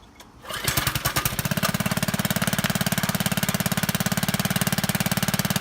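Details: Free, long-stored power washer after carburetor jets were cleared with a wire; pulls over and settles into a fast, even single-cylinder beat, about three and a half firings a second, no misses; runs cleanly.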